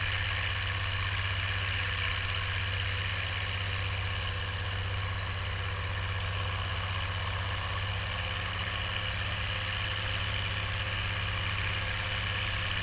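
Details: Oliver 1550 tractor, about 54 hp, pulling a JD BW disk 6–8 inches deep after fuel-system contamination cleared: steady low rumble at constant revs with no stumbling, surging or ticking; healthy diesel pulling well under load.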